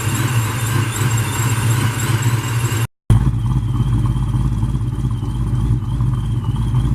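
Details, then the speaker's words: Jeremy's V8 car (4.6 mentioned) on cold start after new spark plugs, fitted to cure a high-rpm stumble/spark blowout, on 93 octane pump gas: deep steady rumble with an even lope, no stumbles or popping; runs fine. "so all I'm done we're about crank it make sure it runs fine"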